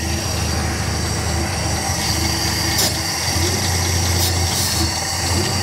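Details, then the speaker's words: 1957 Plymouth barn find parked 20+ years, new spark plugs only, still on old fuel: engine fires right up and holds a steady low idle with slight uneven throb; first start after long storage, then stalls. "Are you kidding me? It's running. It fired right up."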